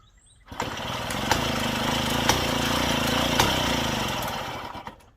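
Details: Daelim Trac moped pedal-cranked in the cold, spark and fuel present: several seconds fast churning cranking, never fires; owner suspects low compression, timing or reed valve; reused bowl gasket leaks.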